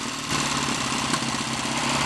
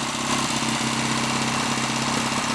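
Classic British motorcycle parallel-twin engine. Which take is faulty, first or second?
first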